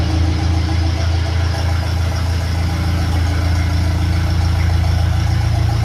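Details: 1957 Ferguson FE35 TVO four-cylinder after tappet adjustment and rocker cover leak fix: even low idle chug about 170 beats a minute, light tappet ticking, no misses or spitting; normal idle.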